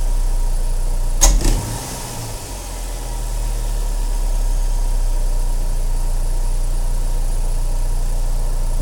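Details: 2007 Saturn Sky, naturally aspirated petrol, just after a K&N Typhoon cold air intake install and MAF sensor cleaning: a quick pair of sharp clicks when the throttle is first applied.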